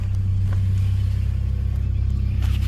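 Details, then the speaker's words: K24A-swapped DC2 Integra, first cold start on E85 with stock injectors and a 3-inch exhaust: steady, even low rumble with a smooth firing pulse and no knocks or misses; a healthy idle. "And I got her idling good. She is alive, boys. She is alive."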